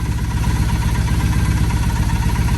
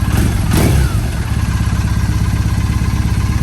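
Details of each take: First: 2007 Triumph Bonneville T100 twin during carburetor synchronization with a sync tool, nearly dialed in: even, regular low thumping idle with steady pulse, no hunting or stumble, balanced and smooth. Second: 2007 Triumph Bonneville T100 parallel twin being synced with a SynX tool: lumpy, uneven idle beat between cylinders after the sync screw was turned the wrong way, carburetors out of balance.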